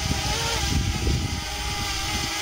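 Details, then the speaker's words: DJI Mini quadcopter drone (250 g) hovering, microphone up close: steady high screech with wavering tones over a low rumble from interference between the propellers; normal hover propeller noise. "now the Drone if you listen to it up close it well it's really screechy and you can hear a lot of interference between the [Applause]"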